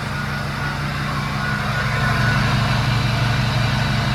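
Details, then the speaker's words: Diesel truck idling smoothly and evenly after restart with fuel restored following an unplugged connector; only slight smoke haze, no knocks or misses; being warmed up before fluid checks and a drive; normal idle. "I like it. It sounds freaking good."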